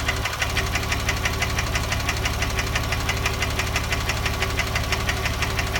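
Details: 2006 Porsche 997 3.8 engine at idle: steady, sharp knocking about two per second, evenly spaced over a low idle rumble; owner wonders about piston slap or hydraulic lifters, source unconfirmed.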